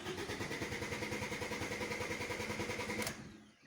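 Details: Car cranks steadily at about three pulses a second for three seconds but never catches, then silence; crank, no start, suspected after a pothole impact or vacuuming the car, possibly a tripped inertia cutoff switch.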